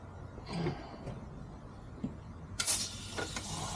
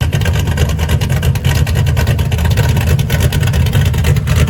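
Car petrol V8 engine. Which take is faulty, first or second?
first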